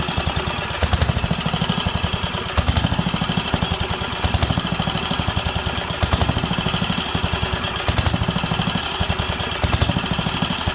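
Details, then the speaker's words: Wisconsin AENL barn-find engine, first run in 20+ years after carb cleaning: steady chugging with speed rising and falling every couple seconds, leaning out; owner suspects carb needle. "it's sounds like it wants a little more reds and i turned it down there and or we can uh give her a few more revs let's see how she handles but it's leaning out coming back leaning out coming back"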